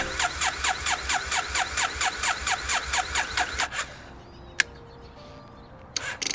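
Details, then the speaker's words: Triumph Bonneville left sitting too long, battery weak; sluggish uneven cranking at about two turns a second, fading after four seconds without firing; failure to start from a flat battery. "A failure to start. I've let my Triumph sit too long and the battery doesn't have enough power to start it."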